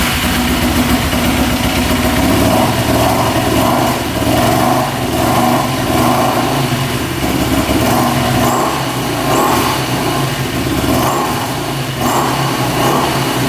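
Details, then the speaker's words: 2008 Yamaha YFZ450 single-cylinder quad, freshly started after oil was put down the cylinder. It thumps at a slightly uneven idle and smokes heavily. Blue smoke did not clear after a ride, and the owner thinks it is burning oil. "s pretty good smoking quite a bit a all right so it's smoking pretty bad we are going to let it run for a little bit see if that oil can clear out of the cylinder"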